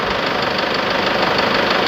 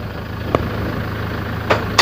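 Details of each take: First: Toyota Tiger D4D 2.5 diesel, cold idle, knocks on morning start with white exhaust smoke when hot and smoke from the dipstick: sharp, even clatter; valves suspected, injectors removed, one found loose, leaking sealing washer. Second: Toyota Hilux Tiger D4D 1KD 2.5 diesel after injector replacement, valve adjustment and cleaning, previously knocking with white smoke and dipstick blow-by; steady, even idle with smooth low rumble and stray handling clicks; engine runs clean after repair.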